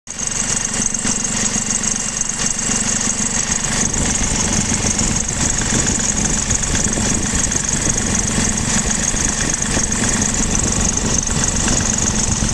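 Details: BMW F20 116d, 2016, diesel at idle: steady high-pitched squeal over an even idle, constant throughout. The ribbed belt still squeals after both belts and tensioners were replaced and the AC compressor bearing was changed; the source is still unknown.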